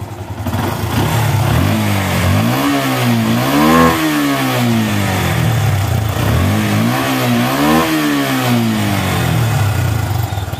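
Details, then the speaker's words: Yamaha Bison motorcycle after fix for popping on deceleration (hoses from engine and intake manifold plugged): two clean blips, revs rise and fall without pops or bangs; idle fine, backfire cured. "sembuh ya Enggak nembak-nembak [Tepuk tangan] lagi dan cr-nya tambah"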